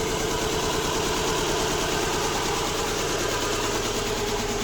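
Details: Subaru Impreza with codes P0301, P0303 and P0038 idling after swapping cylinder one and three coils: idle keeps stumbling with an uneven, lumpy beat, still misfiring, cause not pinned down.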